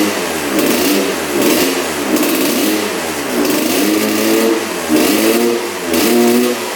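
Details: 1986 Honda CR125 two-stroke on 40:1 premix, just restarted after a new spark plug: revs rise and sag, a bog at full throttle. Owner wonders if the exhaust pipe is clogged.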